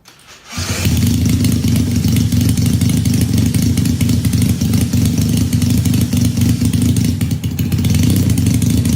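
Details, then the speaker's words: 1968 Honda CL175 twin with supercharged EFI on E85, after an injector was fixed, in a 34-degree garage: catches right away and settles into a steady, even cold idle with a firm deep note, both cylinders firing; tune still needs adjusting. "It's like, it's now 34 degrees in the garage with the door open. The fact that this thing even kicks over, I'm ecstatic."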